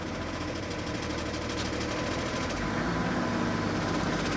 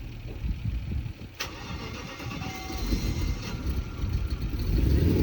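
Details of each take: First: BMW E38 diesel, started to drive inside: light irregular knocking from the pulley rides over the idle and disappears immediately with a little revs. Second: BMW E38 with a petrol V8, stalled and suspected out of fuel with no leak found, restarted after adding petrol: brief churning crank, then it fires and builds to a deep, steady, rising rumble; starts and runs normally.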